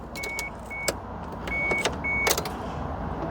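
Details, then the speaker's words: 1995 Mitsubishi FTO, not started in 10 years: thin high whirr between light clicks; fuel pump priming normally. "So, first things first, let's hear if it primes. Can't hear anything, but let's crank it. It's prime. It's priming. It's priming."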